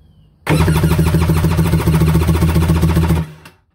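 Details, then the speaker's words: Fresh Yamaha 62T Dasa 1200 16mm stroker power-valve two-stroke PWC engine, compression test with both plugs out and throttle wide open. Strong even cranking pulses; this cylinder reads 240 psi versus 212 on the other, indicating good compression. "and this one is at 240."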